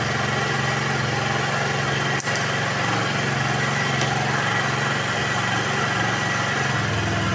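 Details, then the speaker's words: Honda Vario 110 (KVB) scooter, carburetor after adjusting the left-side air screw (about 2.5 turns as the reference): small engine idling steadily at about three beats per second, no hunting. Idle now stable; the choke is also faulty. "[Musik] tuh ya perhatikan dia langsamnya lebih stabil kan ya langsamnya lebih stabil karena dari setelan yang di sini itu belum gak pas"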